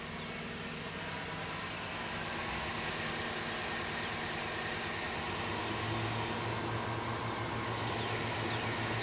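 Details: 2012 GMC Sierra after the tensioner pulley was replaced for a suspected worn bearing, microphone down near the belt drive: a thin, high squeal held steadily over the running engine. The squeak persists but is milder; cause still unknown.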